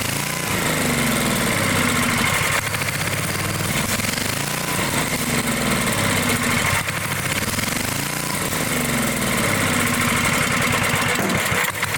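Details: Dayton generator engine, unused 30 years: lumpy hunting beat rising and sagging every few seconds, alive only on choke; fuel-starved, clogged carburetor.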